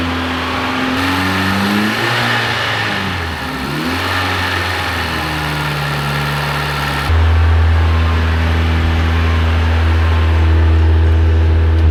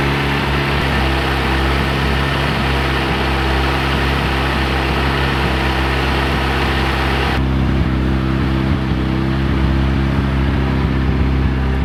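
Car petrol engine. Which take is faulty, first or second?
second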